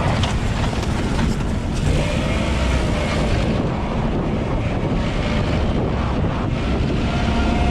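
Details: 2020 LADA Vesta SW Cross, 13,300 km, 1.8 engine, AMT gearbox, updated SAAZ front struts on broken dirt road: steady rumble and gravel noise, no clunks or knocks from front struts; suspension operating normally.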